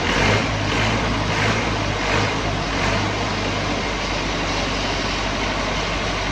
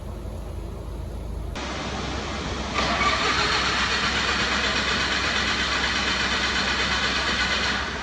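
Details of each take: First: Old Lincoln engine-driven welder, over 30 years old, just serviced with the filter changed and air hopefully bled from the fuel system: steady, even engine drone with a low hum, no stumbling or misses; normal idle. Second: Lincoln mobile welder engine, over 30 years old, after service and fuel filter change: starter spins at steady chugging beat for several seconds but never catches; crank no start from air in fuel system.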